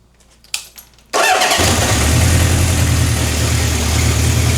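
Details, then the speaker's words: Honda CB750 K4 SOHC (US import): the starter catches within a second and it settles into an even, steady idle with no more knocking or fighting itself. Normal idle. "She's on the button now. No more knocking or fighting herself. She sounds sweet."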